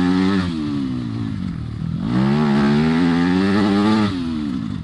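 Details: Yamaha single-cylinder dirt bike riding a trail after replacing its triple clamp bearings: the engine revs up and down smoothly with throttle, clean and even with no clatter; normal running.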